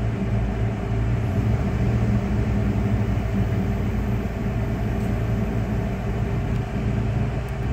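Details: 1996 Dodge Ram 5.2 V8 after cleaning a very dirty throttle body and fitting a new IAC valve, AC on, hot day: steady, even low rumble over several seconds with no dips or stumbles and no stalling. Normal idle.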